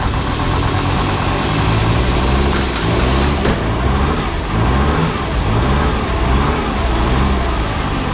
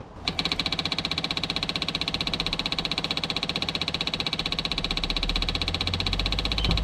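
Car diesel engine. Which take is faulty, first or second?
second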